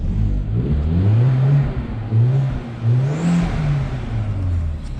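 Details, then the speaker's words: 2005 Audi A4 Quattro turbo, Copart rebuild, new exhaust done, after about a minute of running to warm up: light-throttle revs rise and fall smoothly with a faint whistle each rev; healthy running with normal turbo spool. "Sounds pretty good. She's got a whistle to her too. That's that turbo, right? The little whistle the turbo gives."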